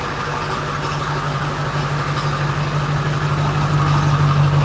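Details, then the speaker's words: 2001 Ford F250 7.3L diesel idling after a slow glow-plug start: steady low rumble with even, normal diesel clatter; a bad AC compressor pulley rattle is also present. "Yeah, diesel supposed to be noisy. I love this noise."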